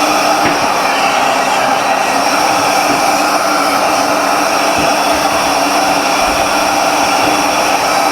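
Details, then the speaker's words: 2014 Chevy Impala with code P0411, secondary air pump commanded on with key on after repair: steady, even blower whoosh and hum with no rattle or surging. About 1.15 PSI measured; pump runs normally. "I feel the blower. Yeah. 1 1.15 PSI."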